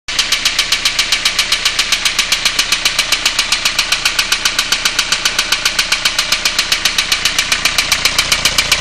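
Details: 2002 Renault Clio 1.5 dCi diesel knocking at idle: sharp, very regular metallic knocks about 2.5 per second; lots of oil on three injectors and glow plugs, cause unknown, head removal planned.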